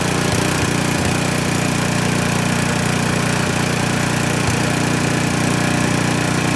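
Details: Troy-Bilt snowblower that wouldn't start, animal nest found, covers off and linkage adjusted, primed and started: small single-cylinder runs at even, fast putter with steady beat, no misses or knocks; healthy running.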